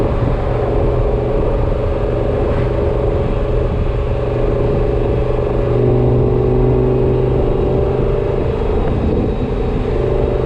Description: Not sure if this whining is normal or not